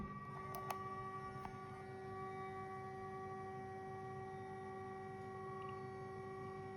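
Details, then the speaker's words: Homemade guitar sustainer system with driver amp: plugging it in with nothing played gives a steady unwavering high howl with faint ticks, the sustainer amp oscillating in feedback. "So now that works, and this works. I have two systems. You can see if I plug it in, it howls."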